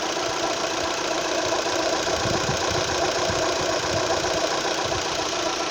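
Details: Opel Z18XER engine at idle: light, slightly uneven ticking a few times a second; owner suspects the camshaft phaser, noise occurs only at idle.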